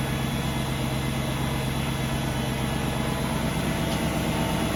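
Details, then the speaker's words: 2003 BMW 540i cold start after sitting about 24 hours, exhaust manifold ice cold: steady, even idle with a smooth low hum that fades soon after startup, no knocks or misses; normal cold idle. "it makes like that kind of humming noise then it goes off pretty soon it's good"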